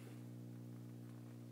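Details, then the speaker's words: Bang & Olufsen receiver on the phono channel, turntable off and input cable unplugged: a steady low buzzy hum that is louder than with the cable in, where there should be none; not from the turntable. Owner suspects grounding, unconfirmed. "so my question is what is this hum is this a grounding problem do you think it has a distinctive sound about it this is without the cable plugged in there shouldn't be any hum without the cable plugged in"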